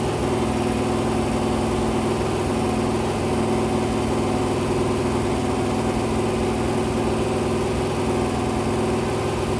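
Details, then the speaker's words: Rebuilt 426 crate Hemi on a run stand during cam break-in at 2400–2500 rpm, 32° timing, about 150° temperature, with a few oil drips: loud, even V8 roar at steady fast idle, no knocks or ticks; normal. "I'm at 2400 2500 RPM, 32 degrees of timing. Every so often, I'll rev it. I'll bring it lower. I'll bring it higher."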